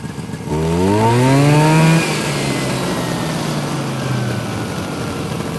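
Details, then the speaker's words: 1971 Arctic Cat Panther with 440 JLO engine and Tillotson carburetor, after carb adjustment: revs climb smoothly about a second and a half, then pitch drops and it labours flat. Bog on acceleration; tired clutch springs upshift too early for the low power. "so what's happening so the clutch springs are so tired on that sled that it just wants the upshift and it can't it doesn't have the power to get it going because they don't make a lot of horsepower"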